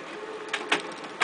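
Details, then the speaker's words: Compumotor CT series stepper drive at medium current after a missed pin was corrected: quick mechanical ticking with sharper clicks over a faint hum; the motor now resists hand holding with much more force, running normally. "now I notice I hear the moderate more power and if I try to hold it I can why I remove the departure but if I hold it it's time me a lot more Force"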